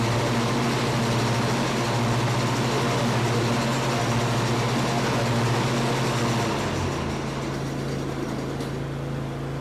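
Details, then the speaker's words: Cub Cadet Ultima ZT1 54-inch zero-turn after blade spindle replacement, blades engaged; steady even engine drone with no knocking, squealing or grinding, earlier loud noise gone; belt still seems to shake slightly, possibly normal; normal running. "That sounds okay. Uh I don't like the way the the belt seems to still be shaking a little bit. I don't hear any shaking."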